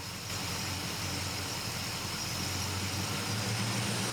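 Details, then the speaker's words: Warmed-up carbureted Chevrolet C10 V8 truck during idle mixture screw adjustment for AFR: fast, steady raised idle with an even exhaust pulse; auto-tune raises idle to 1100 rpm and it doesn't come back down when turned off; high idle, cause unknown. "I had a problem with it raising the idle to 1100 and then when you turn autot tune off it the truck doesn't go back"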